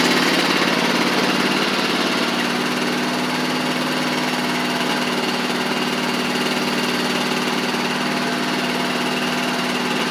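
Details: Huskee Supreme riding mower after drive pulley and belt repair: small single-cylinder engine runs evenly with smooth drive, no slipping, grinding or clunking; drives as it should.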